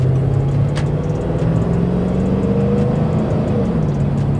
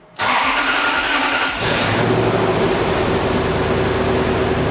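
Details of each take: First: Toyota Sequoia V8 on test drive after addressing a coil pack with a previous owner's wiretap on it: smooth even engine note, no stumble; misfire fixed, no check engine light, coolant steady at 195 degrees. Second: Toyota Sequoia V8 first start after timing belt, water pump and aluminum radiator replacement with fresh 10W-30 oil: idle shakes with uneven stumbling beat; owners suspect misfire.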